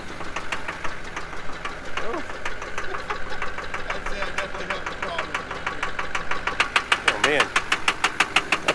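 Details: 2003 GMC pickup with LB7 Duramax diesel at idle and with throttle: hard, sharp knock about three per second with lots of black smoke; stuck-open fuel injector, fixed by new injectors.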